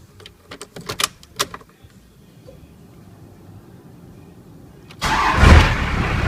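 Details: First-gen Dodge Cummins diesel truck that would not crank, after starter motor and solenoid rebuild: light clicks, quick crank, engine catches at once and settles into a firm steady idle without needing a hammer; normal cranking and start.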